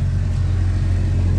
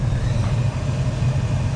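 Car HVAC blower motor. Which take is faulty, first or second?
first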